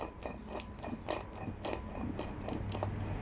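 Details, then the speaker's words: VW Golf Mk3 wheel bearing removed from hub, rolled by hand under light pressure, grease tainted rusty red-brown: gritty, uneven crunching that sounds awful; worn wheel bearing grinding. "let's have a good listen to this now that sounds awful"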